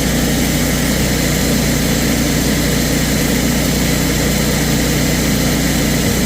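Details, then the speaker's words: Kohler 14kW generator, model 14RCA, after fixing loping caused by a dried-out, broken bushing/clip; test run hunted once, then set. Deep, even drone at one speed with no surging; normal steady running. "Hunted once just to find it and then boom, set. Problem solved."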